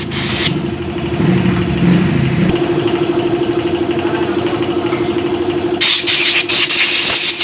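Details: Rusi Fashion 125 scooter: engine catches and settles into a steady idle with an even hum and no belt flapping or rubbing.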